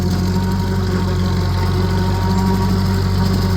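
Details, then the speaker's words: Vintage Ferguson TO35 tractor in second gear pulling a homemade scrap-metal bush hog through waist-deep growth; a deep, steady drone that pulls down under heavy load but holds an even beat without missing; normal engine under load. "Pretty heavy. You can hear how it loads up the track. We're running in second gear. Not too bad."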